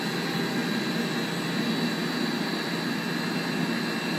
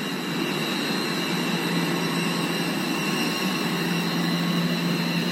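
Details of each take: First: Blower V-belt drive with correct belt tension: even, steady rushing air with no squeal or flapping; tight side barely vibrates and belt runs without slipping. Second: Blower fan with loose V-belt: thin steady high squeal over the airy rumble; belt slipping from insufficient tension, visibly under-tensioned; both belts should be replaced together.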